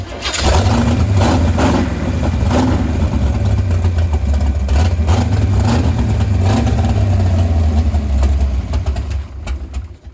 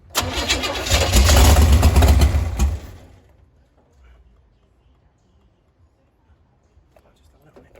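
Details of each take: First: 468 big-block Chevy in a Nova, first run in about a year after fixing no-ignition and adjusting distributor timing: catches and settles into a loping, lumpy idle, deep steady rumble, no knocks. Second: 468 big-block Chevy in a Nova, first firing after distributor work: labored, lumpy cranking with rough firing for about three seconds, then dies; ignition timing too advanced.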